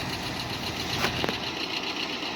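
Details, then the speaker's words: 1968 Jeep Wagoneer with 1972 AMC 360 V8, revived after sitting a year, fully warmed up after a short drive: even settled idle, steady hum, a couple of light ticks the owner suspects are an exhaust leak; normal idle. "look how smooth it is i have it tuned just about right i think"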